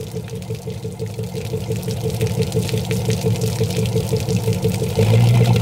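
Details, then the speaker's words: 1999 MasterCraft MariStar boat, newly installed TBI engine first start on hose after fresh battery: steady low idle with water splashing, no misfires or knocks; oil pressure great, running smooth and healthy. "we'll find out this thing is running absolutely great just listen to it"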